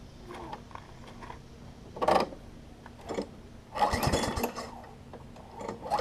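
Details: Craftsman 21-inch self-propelled mower, first start after fitting fuel line and temporary air filter: engine catches in ragged bursts, surging and dying back, won't hold even idle; owner suspects carburetor float setting, later reset needle and seat.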